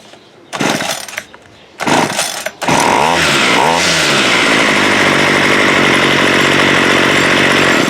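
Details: Water-soaked Homelite 26cc curved-shaft trimmer after a carb kit, with idle adjusted up: short pull-start bursts, then it catches and settles into a clean, steady high-rev buzz; normal running.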